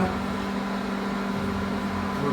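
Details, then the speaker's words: Microwave that popped and sparked when switched on, after repair, heating water on a 30-second test: steady, even hum with a low mains buzz, no crackling or popping; running normally again. "funcionando normalmente né ele voltou já funcionando"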